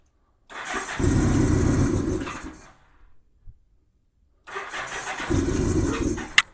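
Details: 1987 Honda GL1200 Goldwing, cold, first start in years, cranked to fill carb bowls then given a little gas; catches roughly and dies after a second or two, smoking a little. Owner suspects insufficient fuel supply and dirty carburetors: hard start, stumbling.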